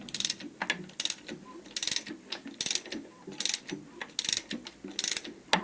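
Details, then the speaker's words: Opel A18XER engine being disassembled for heavy oil consumption and knock, camshaft turned by hand with a 24 mm wrench: dry uneven clacking bursts as the exhaust cam moves while its phaser gear stays still; worn exhaust cam phaser free play. "видите клацает и вот такую вот стуку человека противный"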